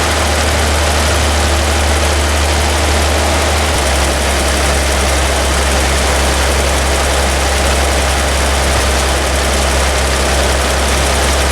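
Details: Toyota FJ40 Land Cruiser after new distributor, cap and rotor fitted (old mechanical advance wasn't advancing), base timing set good: smooth steady low idle, even beat, no misses or knocks; high idle still being adjusted.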